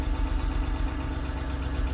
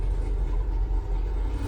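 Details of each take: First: 1989 Range Rover Vogue SE V8, cold first start after long standing: uneven puffing chuff over the low idle rumble; a definite exhaust blow located at the exhaust manifold. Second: 1989 Range Rover Vogue SE V8 after a throttle position sensor was fitted and tested: steady, even low rumble with no misses or stumbles; already sounds a lot happier, running smoothly.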